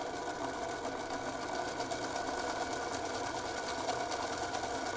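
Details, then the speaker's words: O-gauge diesel locomotive run briefly under light power to work in fresh grease on its plastic gears before the track test: even, steady buzzing whir at constant pitch with no knocks; sounds much better and faster than before. "already sounds so much better than before. Nice and fast."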